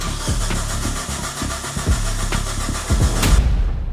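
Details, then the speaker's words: Linked Suzuki Samurai build, first start attempt after new fuel system: starter cranks three to four turns a second with no firing; fuel supply and return lines were swapped, so no fuel reached the engine. "you're right I had the return and the supply swamped so the engine was getting no fuel and that's the reason we didn't get a start"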